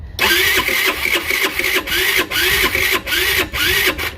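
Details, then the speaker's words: Scooter with new carburetor that still won't run, cranked with a little less throttle: starter drags in slow, uneven surges about twice a second without catching as the battery goes almost dead; jumper cables needed next. "let's uh take a little bit of throttle out of this and see what it does now battery's almost dead"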